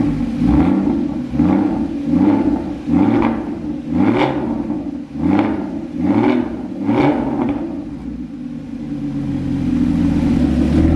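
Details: Rebuilt crashed Porsche Cayman GT4 flat-six with Immico exhaust, first start after rebuild, engine cold: catches and settles into a deep, even burble with steady pulses, no knocks or rattles; sounds healthy.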